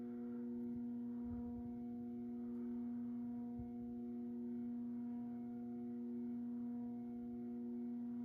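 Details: Moss Heirloom Olympus 52" ceiling fan (antique brass, cane blades, made by CEC early 1980s) on low at about 55 RPM, trim pot likely at factory setting: a strong, steady electrical buzz from the variable speed control drones under the quiet motor hum, one of the loudest such fans the owner has.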